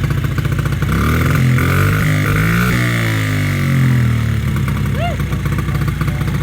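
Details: 2008 Honda CRF50 after carburetor replacement and chain tightening, kicked over: small single steadies at idle and picks up cleanly on a few blips, idling and revving without missing; sounds healthy.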